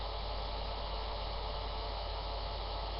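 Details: Computer monitor emits a steady, even electrical buzz with a low hum underneath, stopping when the monitor is turned off; plugs checked and pushed in; owner suspects the monitor is on the way out, cause not confirmed.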